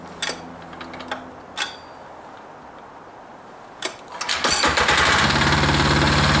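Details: Hot air-cooled diesel engine, stopped by shutting off the fuel, restarted: a few clicks, cranks, catches within a second and settles into a steady, even idle. Normal hot start and idle.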